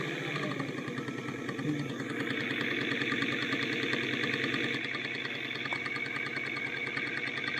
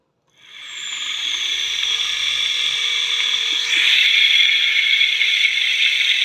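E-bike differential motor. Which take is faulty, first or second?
first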